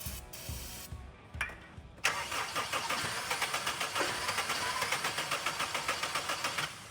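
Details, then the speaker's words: Car recovered after being sunk in a lake, plugs checked dry, water blown from exhaust, starting fluid sprayed into intake: steady cranking about four turns a second with a few weak catches that never take; spark present, fuel supply suspected. "Okay, that wasn't a full start, but that was promising because I heard a couple of ignitions, which is telling me that we are getting spark, but we may not be getting fuel."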